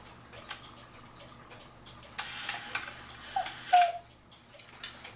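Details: 1940s Black Forest Hubert Herr cuckoo clock after cleaning, oiling, new Tyvek bellows and shortening bellows lift: soft steady ticking, then bellows puff and short clear whistle call; normal cuckoo call.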